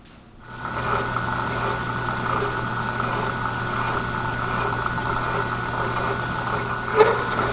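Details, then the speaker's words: Milling machine with boring head counterboring an Armstrong No. 41 planer/shaper tool holder, knee raised slowly by hand: steady motor hum with faint rhythmic hiss and rattle under a second apart; light tool chatter, hence the slow feed. "And you can hear that little bit of chatter. That's why I'm running it so slow."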